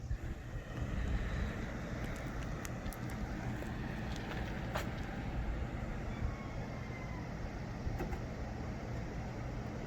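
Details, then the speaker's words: 2001 Lexus IS300 road test after brake pad replacement, old pads were loud: only soft road rumble while slowing, no squeal or grinding at any point; new brakes completely quiet. "absolutely no squeak completely take the [ __ ] down there's no squeak whatsoever on these brakes"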